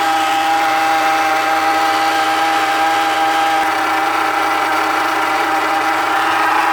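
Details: Haval (Hover) H3 running: steady mid-pitched whine holds at constant level over the engine; owner suspects power steering pump, source unconfirmed.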